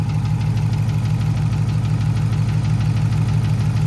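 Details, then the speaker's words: Race car restarted after hot lapping, flame shots and a sudden shutdown on track, owner fears it shut off too late: steady idle with a faint regular light knock about three times a second in time with the engine. "so there is a knock so I don't know if you can hear it yeah that's not good"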